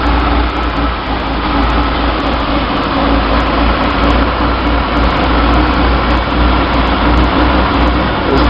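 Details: 1966 Chevy sports van, stock 230 straight six with HEI, Weber 32/36 2bbl carb on stock 1bbl manifold via adapter, in neutral, camera at carb: fast steady high idle that never settles; likely vacuum leak from extra adapter gaskets, unconfirmed.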